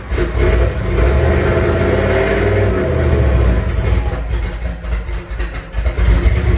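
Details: Junkyard 351W turbo V8 in a 1967 Mustang at first fire-up after new headers and wastegate plumbing, exhaust exiting by the fender; uneven idle, throttle blips hang and fall unevenly; runs but definitely needs a tune.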